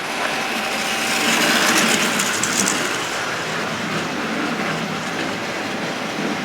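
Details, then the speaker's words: Hornby/Tri-ang Rovex Pacific locomotive run slowly: low steady growl with light rail clatter, amplified by the body; normal slow-speed motor noise, they do it from new. "That growl you can hear is quite normal. You know, it's just just a motor sounds like that when it's running slow. There's nothing wrong with it at all."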